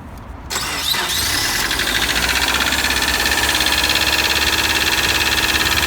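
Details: 2003 Subaru Forester EJ201, 187,000 mileage, cold start after 3 days parked at -3°C; cranks, catches, cold idle with steady light knocking about three per second; cause not yet found; cold start engine knock.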